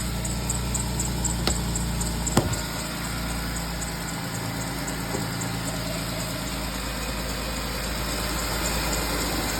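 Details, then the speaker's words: Engine at idle just after a new clutch was fitted, throwing many codes, with an earlier exhaust leak. It has a light uneven tick about once a second, not cured by a belt change or Lucas Oil thickener, and shakes at idle despite normal engine mounts; cause unknown. "it's starting to tick Big O is like put the Lucas Oil in it try to make the viscosity a little thicker so it won't tick it still ticks not to mention it's starting to shake it just shakes at idle"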